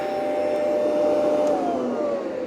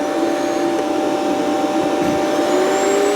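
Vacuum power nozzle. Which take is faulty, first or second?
second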